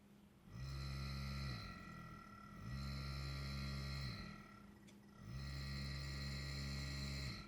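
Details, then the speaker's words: BD35F DC refrigeration compressor run by a bike motor controller on 55 V stepped-up DC, no load, about 61 W: low steady hum swelling and fading every couple of seconds, even and brisk, running at proper, much better speed than at lower voltage. "That sounds a lot better, a lot more speed there."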